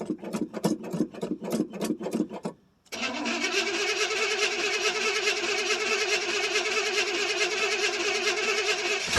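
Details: 1979 Chevrolet C10 Bonanza Big 10 with 305 two-barrel V8, cold start after sitting about a month: slow rhythmic cranking, short pause, then catches and settles into a steady, even idle; healthy cold start.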